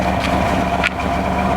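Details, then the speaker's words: 1994 Chevy Astro van, started after about 6 months sitting on a warm day, heard at the rear exhaust: steady, even low burble with no misses or knocks; no oil burning, running a little rich from sitting; healthy V8-sounding idle. "Running a little rich, but what do you expect? It's sitting. Sounds like it's got a V8 under the hood."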